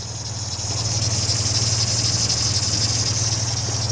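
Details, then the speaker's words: 1955 MG Magnette ZA, just started with one press of the button: low, even tick-over with a steady pulse, no misfires or rattles, ticking over nicely and idling sweetly; normal idle. "Ticking over nicely, literally one press on there, and away she runs."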